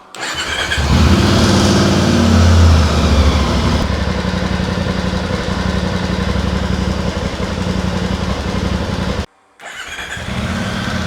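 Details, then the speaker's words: VOGE 800 Rally motorcycle after hard off-road use: engine fires into a quick, slightly rough idle with light metallic chatter as the oil-fed cam chain tensioner has not yet pressurised, held only by spring preload; timing chain rattle on start. "Y si vuestra moto suena así, como habéis visto en el vídeo, tenéis dos vías posibles."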